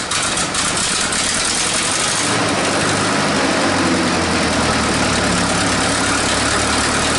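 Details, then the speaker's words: 1947 Nuffield grader revived after 20 years parked: steady idle with raspy hissing chuff over the engine note, settling lower after a few seconds; exhaust leaks need fixing, and it runs hot. "she needs a good gone over fix the exhaust Leaks get a bit of cooling in it so she doesn't get so hot when she turns off"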